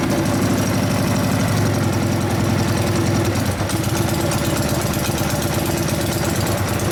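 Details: 1999 Harley 80ci Evo rigid-frame bike, running after low-speed jet raised to 29.5, pipe warming up: loping idle that wanders and stumbles with deep uneven thump, not settling; idle mixture first wanted very rich, then not. Owner suspects dirty carburetor.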